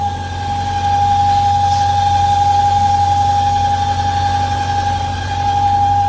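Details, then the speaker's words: 1998 BMW V8, whistles once warming to temperature, recorded at warm idle: clear steady high whistle that does not waver; characteristic of a failing PCV valve. "a ver si lo logran Escuchar ese sonido es muy característico de la válvula pcv que se encuentra por ahí"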